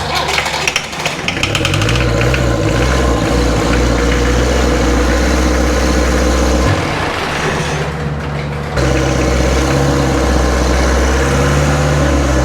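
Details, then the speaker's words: Land Rover 2.25 diesel in a Santana chassis, fuel filters bypassed: steady, even clatter at idle with no misfire or hunting, running cleanly on its own fuel. "I think she's good. Good enough for me. The engine actually sounds good once it's running on its own fuel."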